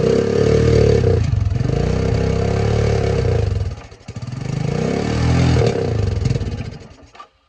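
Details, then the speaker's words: 1984 Honda 200M ATC barn find, stored 30 years, after parts replacement, oil change and fresh fuel, choked by hand as the choke isn't working from the dash: single cylinder thumps, revs swell and drop, then cuts out. No knocks, runs healthy. "So it runs and I don't hear any noises, so that's really good."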